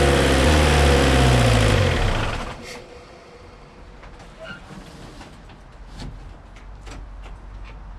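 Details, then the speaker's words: Suzuki Samurai with 1.6 VW turbo diesel, injector pump and injectors just primed, after oil change; uneven shaky clatter then shuts down – rough running, owner blames dirty yellow diesel in the tank. "all right so there it was running like I said it's not running too happy it doesn't like that diesel that's in there right now"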